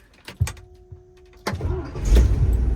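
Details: 1982 International 1624 tow truck, 345 small-block V8, 4-speed: a short starter crank, then it catches at once and builds to a smooth, deep, steady rumble with no sputter. Normal cranking and start.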